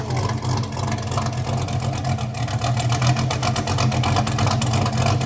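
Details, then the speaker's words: Newly installed engine in a wrecked 2023 Corvette C8 being rebuilt, started untuned; deep uneven loping idle, rough chop about three pulses a second over a heavy low rumble; healthy cammed V8. "Hopefully, when it idles down, it gets that nasty chop going."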